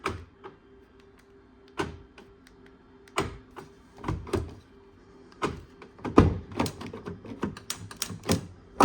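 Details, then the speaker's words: Car door repeated bursts of dull taps and clunks after pressing the remote to lock; the lock actuator keeps cycling, likely because the bars from the handle to the double-locking mechanism are disconnected, not confirmed. "when you press the remote the bars disconnected so we've got to get into that and find out what is going on in there"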